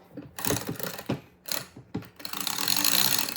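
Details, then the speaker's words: Avet TRX 130W (80W) reel after disassembly and reassembly, drag tightened: light clicking and gear whir in short cranking bursts, no grinding or catching; reel turns smoothly and works. "Feels good. Let's see if we tighten the drag. Yep, it looks like it's working."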